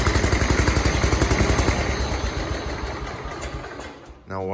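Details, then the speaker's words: 1985 John Deere 210 tractor, hard to start and needing new points; gas had been drained, so the fuel line may have run dry. An uneven popping beat near four per second fades and slows until it dies; the owner also suspects a holed float. "this tractor is kind of hard to start but sometimes it does want to start it doesn't run very good"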